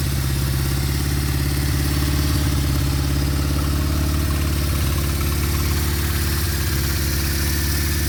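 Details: 1974 Honda CB550 four-cylinder, after timing and carburetor synchronization: a steady, even low-pitched idle with a smooth rapid pulse and no knocks or misses; sounds healthy and balanced.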